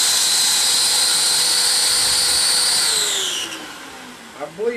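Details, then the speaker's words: Shop vacuum on a vacuum forming rig: loud high whine holds steady, then sags in pitch as the motor strains against a fully sealed intake, pulling the plastic sheet tight enough to suck a hole through it. "believe you could hear that high-pitched kind of whine there."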